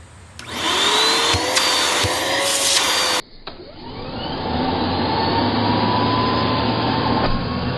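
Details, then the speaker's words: Curb-find Bissell PowerClean vacuum with clogged filters and worn belt, bearings possibly iffy, checked at the neck: strong steady motor roar with clean rushing airflow, no rattles; airflow and suction healthy. "yep that actually feels reasonably healthy plenty of airflow and suction right there on the neck"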